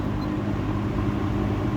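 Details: Early-1970s Kmart/Lakewood P-23 20" box fan with metal blades and a McMillan motor, on high at about 2.6 A and almost 200 W: a steady, even rush of air over a low motor hum with no rattles or ticks; normal running.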